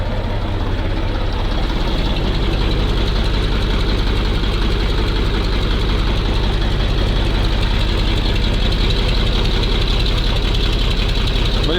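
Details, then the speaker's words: MAZ truck diesel after long storage, just cold-started in frost using starting fluid in intake, still cold; steady even clatter at idle, no misses or knocks, no oil leaks seen; running normally. "Ожил наш зверюга шепчет. Главное глянуть, чтобы масло нигде не плыло. Вроде нормально."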